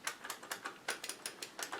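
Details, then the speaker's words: Zip Stick microswitched joystick being worked: crisp, sharp clicks about six a second, each switch snapping cleanly; microswitches working normally. "That's what when you're hearing the clicks. Those are the micro-switches."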